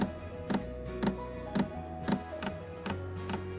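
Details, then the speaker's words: Newly installed 5kW diesel heater in static caravan, first start after priming fuel: crisp even clicks about twice a second over soft hum, dosing pump powering up and feeding fuel normally. "we go going time with the fuel pump so I can hear it powering up now fuel is definitely going in"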